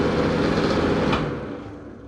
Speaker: hey everybody welcome back to the channel today i'm going to be replacing that obnoxiously loud ceiling fan in my downstairs bathroom